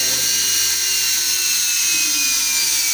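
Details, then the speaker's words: 10-pin universal brush motor under bench test on a dimmer, drawing nearly 1 A at 37 W and turning clockwise: a steady high-pitched whine with light brush hiss at an even speed, running smoothly and healthy. "perfecto ya apagó sig que tenemos un consumo está está girando sentido horario"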